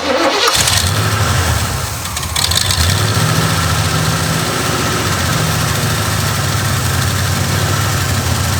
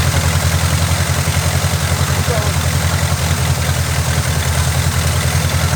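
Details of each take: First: Oldsmobile Cutlass with carbureted Quadrajet Rocket 350 V8: starts and settles into a steady, slightly lumpy idle with faint hiss; a vacuum leak remains; engine otherwise sounds solid. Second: Oldsmobile Cutlass, Quadrajet-carbureted Rocket 350 V8, idling: even, steady low rumble with no stumble or hunting.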